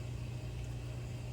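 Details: Red Dragon Bubble King 2000 skimmer pump after DIY impeller repair (glued with JB Weld), running about 3 hours: smooth, even low hum with no rattle or buzz; earlier rattling completely gone, normal running.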